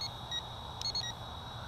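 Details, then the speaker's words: CheerWing CW4 camera quadcopter in flight: short high beeps about every 0.7 seconds over steady propeller whine, a low-battery warning with blinking lights before it lands itself. "hear that beeping that's telling you the the battery power is low and yeah you can you can see on the quadcopter that it's lights were blinking there so we are low on battery"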